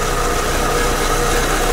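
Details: Proton Persona Campro, owner complains of hesitation and an unstable idle: rough, uneven idle with a stumbling beat while idling; misfire from a weak spark plug or coil.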